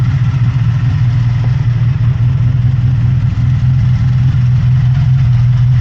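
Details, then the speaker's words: 1983 Honda VF750F Interceptor V4 running off the tank after fuel petcock rebuild: smooth, even low idle burble with no misses or surging, no fuel leaks; a slight rattle noted somewhere toward the rear. "Alright guys, we have it running off the tank. So far I don't see any fuel leaks. Sounds pretty good."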